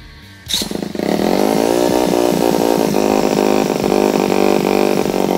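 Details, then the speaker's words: Rebuilt scrap mini ATV, single cylinder (new piston), long-stored, carburetor still needing replacement, after refitting the exhaust pipe: buzzes up from start to a steady fast idle, muffled even exhaust, much quieter; normal running. "Se vähän puoltaa, mutta on se paljon pienempi tuo ääni."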